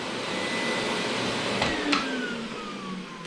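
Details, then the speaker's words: Miele SES 100 vacuum after repairing the electric hose's failed on/off power switch (soldered): smooth, even rushing roar with no rattle or surging, then a clean falling whine as it winds down; power head working, repair successful. "Working well. We have a successful repair. Now we got the power head back in operation."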